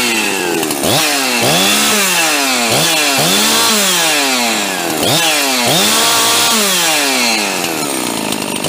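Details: Husqvarna 350 chainsaw freshly rebuilt with a 42mm closed-port 346XP top end: blipped about once a second, it revs cleanly to a high scream and drops back without bogging, though the owner expected it to pull harder.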